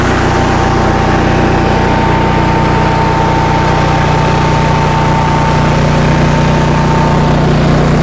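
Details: 2015 Cummins Power home standby generator, Briggs Vanguard engine, after rotor repair, warming up on a load bank at 3 kW, about 40 A at 240 V, 60 Hz: constant unwavering drone with steady hum, no hunting or surging. Running healthy under load.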